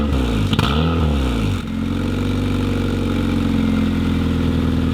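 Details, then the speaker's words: Honda Civic with a new cheap eBay cat-back exhaust (3-inch-outlet muffler), revved from inside the car: a quick blip, then a steady deep burble at idle with no rattles; normal exhaust note, deeper tone. "And let's give it a little bit of a rev from inside the car here. Roll down the windows for you. Okay. Deeper tone. I like it."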